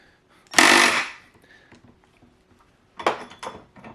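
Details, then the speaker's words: Würth 3/8in cordless impact wrench after repair, bit held so it cannot rotate: sharp rattling bursts of rapid hammering, one long and a shorter pair, with lots of power; impact mechanism normal. "it's an impact so it will Hammer at any items that are tight"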